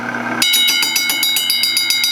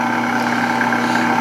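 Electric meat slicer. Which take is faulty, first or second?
first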